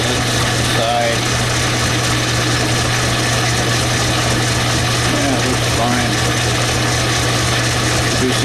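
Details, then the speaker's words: Old 10-inch Logan lathe hogging down aluminum blower stud, about 2 thousandths off, belt setup; steady low hum with even cutting hiss, no chatter, knock or belt squeal, normal cutting. "okay we're gonna hog it down real quick right now this is taking off about 2 000"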